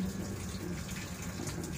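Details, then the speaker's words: Samsung WA15MA 13 kg top-load washer, repaired for 1E error after a 5E fault, checked after power-on: quiet steady rush of water filling the tub with no stutter or cut-out; normal water fill, 1E no longer appears. "เปิดเครื่องสตาร์ทโอเคดูสีถ้าน้ำเข้าได้ก็โอเคนะครับน้ำเข้าได้ก็รอดูว่ามันตัดน้ำหรือเปล่าเป็น47โอเคน้ำเข้านะครับ"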